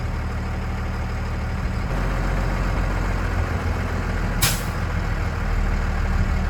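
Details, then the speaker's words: Straight truck diesel idling during a Massachusetts CDL air brake test: even idle, then a short sharp air hiss as the governor cuts out (spec 120–125 psi) and the tank needles stop rising; normal. "We'll know the air governor has cut out because the pressure in the tanks will stop building. The needles on the front and rear tank will stop rising."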